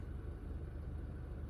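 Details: 2015 Honda Fit at about 90k miles, idling after a valve adjustment and intake valve cleaning; low, steady engine rumble with no knocks, misses or rough pulses, smooth and even with barely any vibration.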